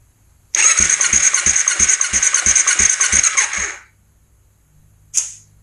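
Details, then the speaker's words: 2005 Kawasaki Ninja 250, wet compression test with oil in the cylinder while cranking: soft, uneven thumps about three a second with no firing; the reading jumped up but fell fast, so valves or pistons are suspected. "jumped up but it's dying fast which means we could be looking at valves we could be looking at Pistons we could be looking at a whole bunch of things"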